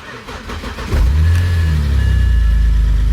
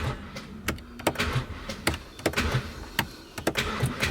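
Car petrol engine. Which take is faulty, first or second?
second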